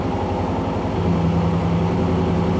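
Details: 2001 Trans Am WS6 LS1 with a new air-cooled turbo, just started on a weak battery: deep even V8 burble at idle, steady low rumble, no knocks or misses; normal idle.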